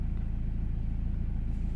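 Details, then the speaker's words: 2008 BMW X3, believed 2.0 litre diesel, idling after refitting a pipe that came off because its clip was fitted backwards. Even, regular idle pulses, no intake hiss or whoosh; sounds way better, normal idle. "sounding way better, completely different. Yeah, that's good."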